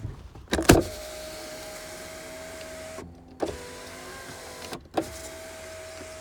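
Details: 2005 VW Jetta 2.0 turbo automatic, about 179,936 on the odometer, believed damaged at the right rear. Door clunks, then an even window-motor whir of a few seconds each run with no grinding or stalling. The power windows work fine.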